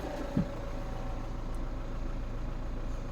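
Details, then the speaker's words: BMW N47 diesel in a Mini, first start after two years and rebuild with new oil pump and chain; starting clunk then lumpy idle with a light rattle, owner attributes it to a missing injector seal: injector seal leak rattle. "A bit of a surprise, boys and girls. She's a bit rattly, but I'm missing an injector seal."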